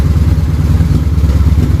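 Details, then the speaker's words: Harley-Davidson V-twin with air box off, idling after carburetor synchronization: loping, evenly firing idle with an odd light pop from Seafoam in the fuel. Carbs are dialed in and it sounds healthy, a normal idle. "But the idle sounds really good now. Yeah, those are pretty dialed in at this point."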